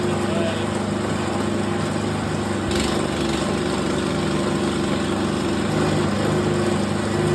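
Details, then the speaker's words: Cheap worn excavator whose blown original engine (valve dropped into cylinder) was replaced with a small snowblower engine: steady single-cylinder putter at even speed with slight buzz, no knocks or misses; normal running. "So the engine, when I bought this machine, was blown. The valve fell into a cylinder and it was pretty messed up, so I put this snowblower engine I had off little snowblowers, almost the same engine."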